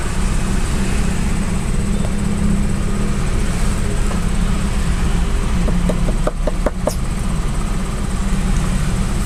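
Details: Daihatsu Xenia/Toyota Avanza old 1000 cc, warm, after cleaning the ISC valve and pulling the EFI fuse to let it relearn: a steady low rumble at an even pace with no hunting or surging; idle speed is back to normal.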